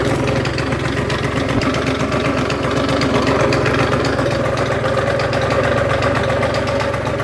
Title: Rattling noise!